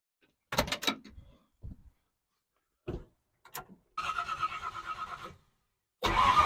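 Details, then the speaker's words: 1970 Ford Falcon with a 5.0 small-block Ford swap, after a carburetor clean and rebuild: the starter chugs the engine over evenly for a second or so but it never catches; a stuck float is stopping gas from reaching the carb. "I'm getting carved or gas through I'm not getting once the floats got stuck I'm not getting gas through to the car"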